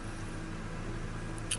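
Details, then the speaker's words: 1996 Ford Ranger with the 2.3 L dual-plug four-cylinder (8 plugs), which earlier had a rough, stumbling idle and would not accelerate. Now it gives a quiet, steady low rumble with no lope or surging, idling much better. "So, like I said, as you can see here, this thing is running much better."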